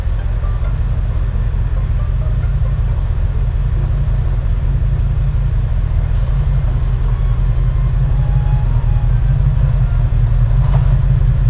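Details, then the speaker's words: 1989 Ford F150 long-sitting truck: deep steady rumble with an even beat and no ticking; clanky knocking heard the day before (suspected loose rocker arms or lifters) has cleared, normal running. "Well, the engine actually sounds better today."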